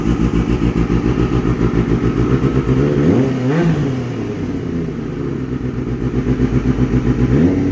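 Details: Kawasaki ZX6R streetfighter build after a fuel pump fix, start-up with the exhaust: quick, even idle pulse with a clean blip rising and settling back; smooth, steady running.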